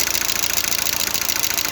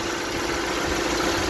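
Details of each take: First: Lada Largus/Vesta at 432,000 km, fully warmed up with the oil pressure lamp lit: fast, even light ticking over hot idle in time with the engine, hydraulic lifters knocking; owner changes the oil and filter for thicker oil. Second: Lada Largus/Vesta engine at hot idle after oil change to thicker oil: smooth steady idle, lifters much quieter, no tapping; owner notes they start clicking if hotter, low hot oil pressure warning previously.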